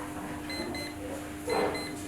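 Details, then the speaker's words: Alarm clock (time piece) buzzer giving faint, thin intermittent beeps at about 4 kHz in short bursts; the buzzer sound is weak. The suggested fix is tapping the buzzer to raise its volume rather than replacing it. "पहले साउंड सुने और buzzer sound लो है जैसा कि इस time piece में है,"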